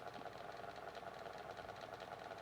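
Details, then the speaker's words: Micromark 9-inch retro desk fan from the late 80s, after servicing, on its lowest speed: a steady motor hum with a faint, fast rattle. It still rattles slightly, but seemingly less than before servicing. "I know it's still got a slight bit of rattling to it, but don't think it's as bad as it was."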